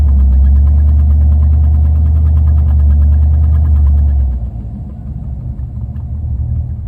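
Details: Deep idle thump pulsing about four times a second, uneven and shaky, dropping to a softer loping beat; rough running idle.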